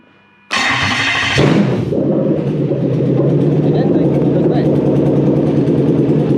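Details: Toyota 1UZ-FE VVT-i V8 on plug-and-play manual relay/fusebox harness with transmission emulator, EMO deleted, in neutral, gearbox not attached: starter catches quickly, smooth even idle, no misses or knocks; normal start and rev.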